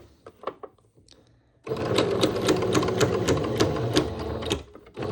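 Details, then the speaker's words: Sewing machine shirring with elastic runs steady at about four stitches a second with a sharp click on each stroke; owner suspects the needle needs changing, cause not confirmed. "Maybe I need to change my needle. My needle sounds very sad. Did you hear how it was clicking?"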